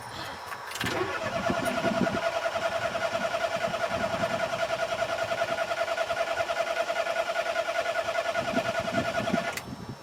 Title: Mommy's car won't start - Pedal Pumping cranking